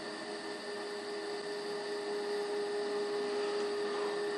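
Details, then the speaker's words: Philco 90 radio under restoration, volume at full, RF generator test signal during alignment; faint steady 400 Hz test tone low under hiss and hum; weak signal from badly misaligned IF stages. "all righty that's pretty weak or we can put that a little bit more sensitive on the scope"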